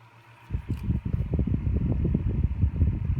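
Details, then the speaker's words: Old Lasko 6-inch personal table fan on low: soft, even whir with gusty airflow buffeting and no knock or rub; runs normally and pushes a nice breeze. "low has a very nice sound to it I remember the sound when I was younger it's not too loud either pushes a very nice breeze on low"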